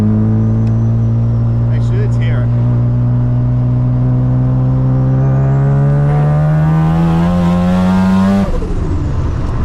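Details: Modified RX7 rotary (porting, injectors, fuel system, 50mm wastegate, LS2 coils, Haltech Nexus R5, full rewire); smooth buzzy note climbs steadily through a long clean rev then drops off, no misses or knocks; healthy engine.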